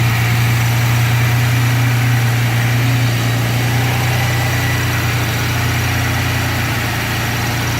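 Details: 1992 Chevrolet S10, 2.8 V6, five-speed, two-wheel drive, after coolant temp switch replacement (gauge erratic; oil gauge swings 40–80 psi): smooth even idle, low hum, loud whooshing fan, no knocks or misses, normal.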